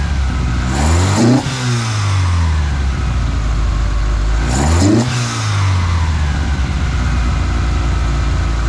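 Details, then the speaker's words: Toyota Altezza 3S-GE Beams engine with ITBs on Haltech Elite 550, first startup on a basic tune, running a little rich, recorded from front of car: crisp intake bark on quick blips, revs climb and return cleanly to steady idle; normal idle and revving. "uh sounds great rev's great and uh man can't wait to see what this thing sounds like driving"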